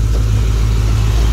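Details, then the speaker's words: Chevy Suburban after fuel pump replacement: deep, steady, even idle rumble with no misses, knocks or ticks; runs great. "but yep she's running great sounds good God I love that"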